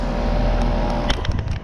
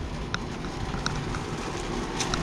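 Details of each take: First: 2002 two-ton scroll-compressor heat pump outdoors, about 74°F, just turned on: steady low compressor hum with even fan whoosh, no rattles or knocks; healthy normal running. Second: Heat pump outdoor unit at an apartment complex, around 74°F: rough, uneven rattle with scattered sharp clicks over the fan rush; sounds wrong, cause unclear; abnormal running noise.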